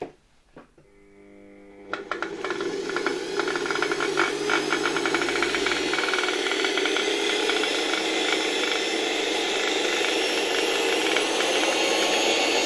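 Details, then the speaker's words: Vintage Electrolux Model 7 vacuum cleaner after reassembly and bearing repair: rapid clatter over rising whoosh at low speed and lower voltage, owner suspects a fan turbine striking; runs fine once at higher speed. "Całkiem fajnie działa tak jak już chyba mówiłem na niższych obrotach przy niższym napięciu słychać tutaj jakieś klekotanie Nie wiem może któraś z tych turbin uderza"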